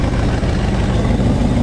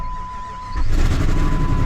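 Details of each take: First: 2004 Jeep Grand Cherokee WJ 4.7L V8 first start after head and timing cover work, exhaust unbolted, no coolant; loud, raw open-exhaust idle but even and steady, no bottom-end knocking. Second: 2004 Jeep WJ 4.7L on first start after head work, no accessories or coolant, exhaust unbolted, on battery power: loud, raw, deep rumble at idle with open exhaust roar from the massive exhaust leak.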